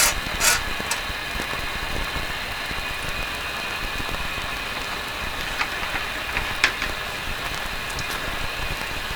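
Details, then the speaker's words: 70-year-old all-original RCA A-32 Globetrotter radio on 19 metre band (15 MHz) with antenna: steady hiss and crackles, no stations; suggests not working, not confirmed, microphone also adding static. "off the antenna receiving something okay well that's sort of suggest it's not it's not working that's what it suggests"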